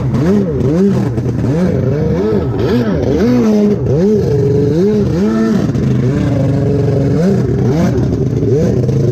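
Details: Rebuilt SuperFreak two-stroke watercraft on the water, hard to crank and running worse than on an earlier day despite carb work: revs swing up and down every second or so, surging and sagging. Poor running, fuel-related cause suspected, not confirmed.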